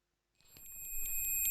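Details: Multimeter continuity mode fault: thin high-pitched beep pulsing about twice a second and swelling louder; continuity buzzer misbehaves because of a wrong resistor on the board.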